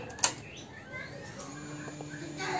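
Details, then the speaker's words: Yamaha X-Ride scooter at key-on with the fuel pump IC socket plugged back in: a click, then a faint steady low hum as the fuel pump primes normally. "lalu kita tancapin di soket IC nya seperti ini langsung kita cek untuk full pump Apakah sudah dengung atau enggak"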